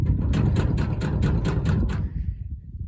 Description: In this video we will show you how to fix a rattling tailgate. The cause of the rattle was worn out striker bolts.